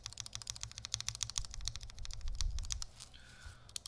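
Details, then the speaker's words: Chimera65 custom keyboard with lubed, filmed Alpaca switches, FR4 plate and Durock V1 stabilizers; rapid sharp clacks with a loose rattle on the left shift or spacebar stabilizer. Extra lube added earlier did not fix it. "Here's rattle. Rattle feels like a physical movement. Ticking feels like just the edge sound."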